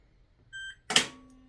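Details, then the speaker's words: GE Profile UltraFast Combo all-in-one washer dryer, first-ever run on a Normal cycle with heavy soil level: a short two-tone beep, then a sharp mechanical clack and faint steady hum as the door locks at cycle start, likened to an ice maker; normal door lock engagement. "So it locks it right away. Kind of sounds like an ice maker."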